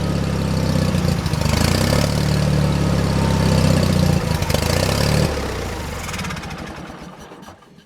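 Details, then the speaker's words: John Deere 316 lawn tractor, about 36°F cold day: lumpy, uneven low chugging falters and dies away after seconds; owner suspects clogged carburetor idle circuit jet, maybe just cold. Rough idle. "I think the idle circuit jet is clogged up in that thing so I'm going to have to go and get to that"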